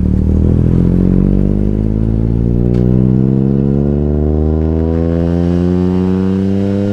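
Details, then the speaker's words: BMW E46 M3 straight-six with RKTunes revving unevenly with a flat choppy note instead of the usual howl, struggling to accelerate; owner suspects missing cylinders, air temp sensor issue present and service engine light on. "that doesn't sound right that doesn't sound like a normal the M3 should not sound like that it doesn't it's not making the same engine sound"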